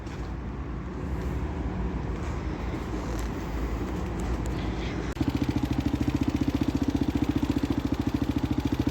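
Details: Used Husqvarna SM610 supermoto single-cylinder at idle: thumping with a hard, regular knock on every beat from inside the engine, source unknown. Engine knock.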